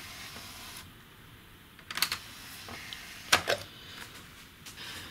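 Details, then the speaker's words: Sony CDP-M26 CD player with NO-DISC error, lid off: a few soft clicks and clunks from tray and sled, then quiet with no spin-up whir; disc never spins. KSS-150A laser later replaced with KSS-212B. "let's drop a disc into it and nothing so we can see the disc isn't spinning at all"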